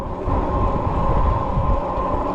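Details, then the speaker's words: Troxus Lynx Plus e-bike in class 2 torque-sensing mode at PAS1, fifth gear, speeding from about 9 to 12 mph in some wind: soft steady low motor hum rising as assist kicks in; normal motor hum under assist. "so that motor came to life uh making a you know little low hum but making a big difference in speed"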